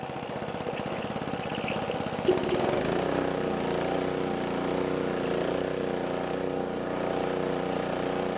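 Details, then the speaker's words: Roadside-free old gas-powered air compressor, single-cylinder engine, first start on choke after repairs, with the tank drains removed so it won't build air. After a couple of pulls it catches and runs steady and even. It runs normally, with a little smoke from old oil and grease. "it runs it started right up and man I can't say anything bad about it at this point other than a little bit of smoke"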